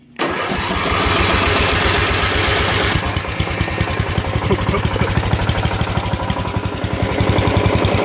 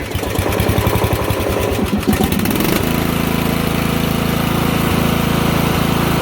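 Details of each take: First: Lawn mower blowing gas back up, cranked on heavy battery current: long strained cranking about three seconds, then catches into quick rough chug around three beats a second; flooded engine clearing. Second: Lawn mower after flooding, cranked: uneven cranking and sputter for about three seconds, then catches and settles into steady even run; normal running.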